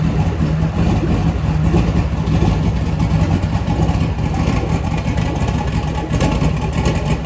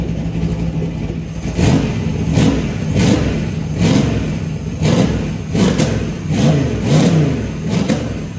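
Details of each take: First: LS V8 engine on a home-built run stand, fire-up before truck install: steady deep idle with even rhythm, no knocks, misses or stumbles; healthy. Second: LS V8 on a run stand, cold start: repeated rev blips about every second with sharp cracks and pops as revs rise; accelerator enrichment off when cold, tune to be sorted later.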